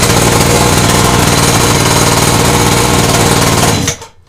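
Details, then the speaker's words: PS50 49cc two-stroke pocket bike with 15mm carburetor, first start: buzzes hard and fast where it should idle, then shut off; idle too high, clutch starting to engage, carburetor idle screw to be turned down. "Motorek bardzo ładnie odpalił. Niestety chodzi troszkę. Teraz musimy przystąpić do regulacji gaźnika. Chodzi on na zbyt wysokich obrotach."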